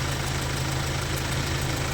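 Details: Kia Sorento D4CB diesel at idle: a sharp, regular ticking chuff rides over the clatter. The injector sealing washer on cylinder number four is leaking and letting compression escape, causing blow-by.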